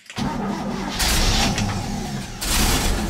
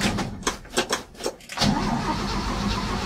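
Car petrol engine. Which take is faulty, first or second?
second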